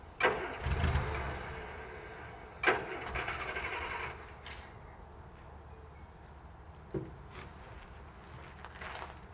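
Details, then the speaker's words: Land Rover Series III, unused for 10 years: several short bursts of cranking, engine spins but never catches; crank no start because power was never connected to the newly fitted fuel pump. "you can calmly check your work and realize that you didn't even connect the power to the fuel pump that you put there the day prior"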